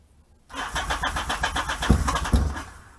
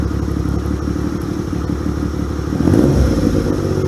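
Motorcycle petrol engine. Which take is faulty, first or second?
first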